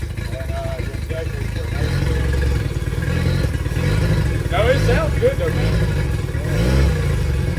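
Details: Yamaha T50TLRD 50 hp outboard after head decking and a new head gasket restored compression, running with an uneven lope and a missing beat as it revs; cylinder misfire.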